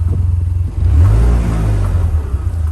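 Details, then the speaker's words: Vanderhall, overheated after long periods in the sun; low, uneven rumble swells and sags without revving cleanly when throttle is given, gauges dead, noise near the power control module; owner suspects something not firing correctly, cause unconfirmed. "So something's not firing correctly, and this only happens when it overheats."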